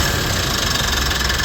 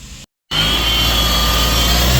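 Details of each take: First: Mitsubishi Montero Gen 3, 4N15 diesel after the alternator pulley repair: a steady, even idle with a smooth regular beat and no squeal or rattle from the front of the engine. The earlier loud hum is gone, and the engine is now quiet. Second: Mitsubishi Montero Gen 3 4N15 diesel, belt and tensioner bearing already replaced: loud running with a steady whining hum over the engine note; owner first suspected turbo.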